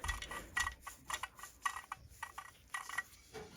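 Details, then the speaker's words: Husqvarna 288 XP chainsaw crankcase split open, main bearing turned by hand: gritty, uneven clicking instead of a smooth spin. The bearing was failing. "Man, those should just be silky smooth, even if they're dirty. So this was failing, and we're very lucky that whoever saw this was very lucky that it didn't fail anymore."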